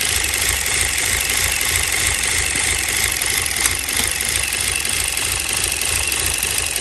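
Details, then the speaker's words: 2016 Chevy Cruze 1.4L Ecotec turbo, about four quarts low on oil with low oil light on: quick light valvetrain ticking, about three a second, over a hissy idle from oil starvation. "i hear that clicking all right it was reading about it was about four quarts low so basically empty a quart don't know how steel running"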